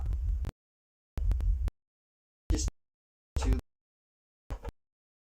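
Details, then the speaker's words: Speaker test-tone check after fixing a rattle from a loose ferrite core in a crossover, glue now set; short bursts of deep low test tone, clean and even with no buzz or rattle, no more rattling, the speaker sounds healthy. "the glue set on this rim so i did a different test right and the different tests surely i'm gonna run it now what fallout now without screwing it so i'm on the test no not nice no more rattling"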